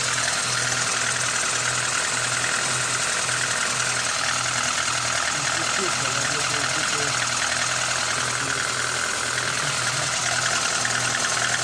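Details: Lada Granta 8-valve engine at idle: light dull tapping about 2.5 per second over hissy top end; camshaft end play removed and valves adjusted already, owner suspects piston skirt slap; unconfirmed.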